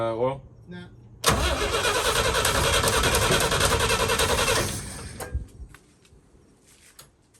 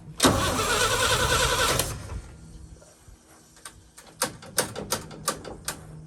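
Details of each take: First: 1966 International Harvester 1100A BG 241 pickup, first start after 24 years stored, new battery and points: engine catches, runs loud and steady a few seconds, stops, fires again; won't yet idle, owner suspects fuel next. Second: 1966 International Harvester 1100A pickup, BG 241 engine, entombed 24 years, new battery: starter cranks steadily about two seconds with no firing, then clicks; crank no start, no spark, points later replaced.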